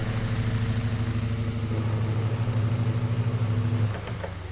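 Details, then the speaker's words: 1932 Emerson 12-inch desk fan model 29646 after rewiring: steady low hum with even gentle pulsing that fades as it slows at the end; motor runs smoothly, rewiring successful. "Rewiring was successful. I am very happy with that. Very happy."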